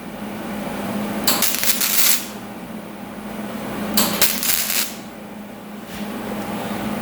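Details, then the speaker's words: Flux-core wire welding thin sheet metal with a cut-and-butt joint: short harsh spitty arc bursts separated by pauses, a hesitation between striking the arc and getting penetration, adding heat to the sheet. "Okay, what I'm noticing here, if you go back and listen to it again, there's a hesitation when you first strike the arc to when you get penetration."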